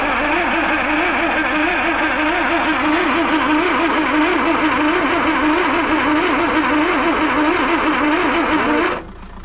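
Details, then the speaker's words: Land Rover 2.25 petrol with refurbished Zenith carb, new distributor, coil, HT leads, solenoid, lift pump and starter, stood 6-7 months; cranking on half choke at about three compressions a second with no firing, fuel smelled at carb; cranks but won't start. "Right, it's not even sounding like it's firing, is it? No. Right, I can definitely smell fuel at the carb, so that's good."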